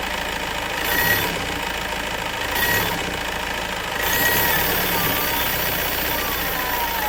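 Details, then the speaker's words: Mahindra Marazzo diesel with DRV valve reconnected: tak-tak knock gone but idle hunts slow-fast, swelling and sagging every second or two, codes not clearing; high-pressure pump replacement planned, cause not confirmed. "DRB लगाने के बाद हमारी engine में कटकट sound तो खत्म हो गया लेकिन यह नई मिस्टेक आ गई जो स्लो आरपी स्लो फास्ट होने लगे"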